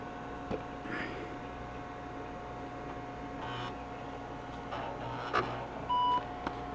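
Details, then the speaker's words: Two IBM Portable 5155s started at the same time before a CRT swap: short single startup beep over a faint fan hum, tone different from the other unit's, cause not evident. "there beep sound different how about that dose that vs that"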